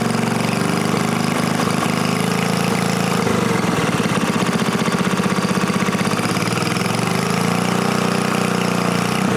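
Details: New-old-stock Briggs & Stratton 5HP dual-shaft aluminum-bore engine, rebuilt, after fixing a no-start caused by the throttle plate closing fully and idle speed set too low; running steady and even at constant speed, crisp firing with no stumbling, surging or knocking.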